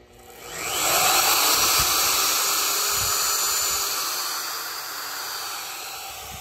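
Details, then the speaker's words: Router plugged into a switched base: motor winds up gently over about a second to a high steady whine, then settles slightly lower; normal soft start, variable speed. "now if you watch this thing comes on real slow and easy"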